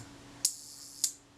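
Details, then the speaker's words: Kodak Retinette II film camera during service, shutter tested before the retainer ring is fitted: two crisp clicks about half a second apart as the shutter cocks and fires cleanly; normal shutter operation. "that's good we'll try the self-timer that self time is running there and the shutter fired"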